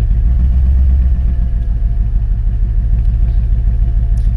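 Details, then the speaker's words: Forgotten barn-find Mercedes AMG, cold start: heavy, uneven low thumping idle with an irregular beat from a large loss of compression; blown head gasket suspected, with white exhaust smoke that isn't condensation. "il y a un gros manque de compression VO cette voiture elle a un gros manque de compression déjà"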